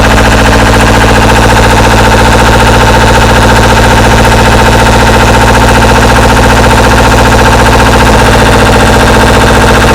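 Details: Two-cylinder Deutz 1011 diesel driving an air compressor: loud, lumpy beat with uneven heavy knocks at idle, runs terribly, first suspected sticking valve; cause found to be a jumped timing belt with bent valves.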